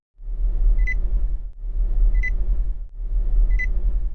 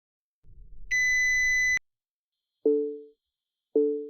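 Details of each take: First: Nissan warning chime: short sharp high beep repeating about every 1.4 seconds over a low rumble, older-style tone peaking at 2000 Hz with harmonics at 4000 and 6000 Hz; warning sound working normally. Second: Recent Nissan warning for headlights left on: loud steady high beep then two soft lower dings; lights switch off automatically to protect the battery.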